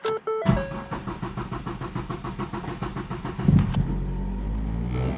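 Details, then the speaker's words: 2014 Ford Focus, 141,000 miles, limp mode with P0087 low fuel pressure: about three seconds of even cranking before catching, then revs high; long crank from low fuel rail pressure, suspected failing high-pressure fuel pump. "You see the long crank? The long crank tells me that it's an engine problem, not a transmission problem."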